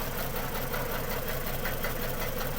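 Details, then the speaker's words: Ford BA Falcon XR6 inline-six, 390,167 km, sat in a paddock 8 years: uneven, lumpy, stumbling idle; misfire, coil-pull test showed cylinders three and six making no difference, coils and spark plugs suspected. "that still doesn't explain why this is running like a hairy goat so we'll uh pull the cover off and have a look at coils and spark plugs Etc"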